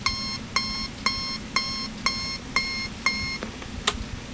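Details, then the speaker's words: National Panasonic RC-65B clock radio alarm in buzzer mode, sounding through the speaker and not volume-controllable: a harsh, raspy beep about twice a second at fixed loudness, coarse rather than clean. Distorted alarm buzzer; cause not confirmed. "so I'm gonna go ahead and set off the alarm and I'm gonna do it the cheating way you can here it comes to the speaker as well so it's all so messed up it's not volume controllable"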